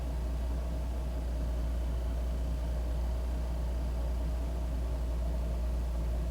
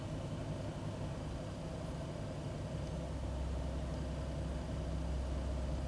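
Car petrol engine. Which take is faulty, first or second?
second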